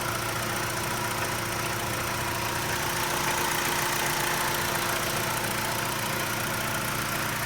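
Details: 2011 BMW 320i engine running with a fast, uneven tapping over a constant hum. The noise came on suddenly with dark exhaust smoke, no oil or coolant loss, valve seals and all gaskets replaced five months earlier; cause unknown.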